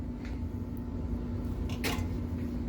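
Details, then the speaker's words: Whirlwind pinball on solenoid test with new power supply, Hurricane apron swapped in: a few sharp, hard clacks over low electrical hum as the kickback coil plunger hits the apron, whose cutout is undersized; apron must be swapped back. "I just did all lamp test and sound test and was going through the solenoids, and the kickback was going like, what the hell is that noise?"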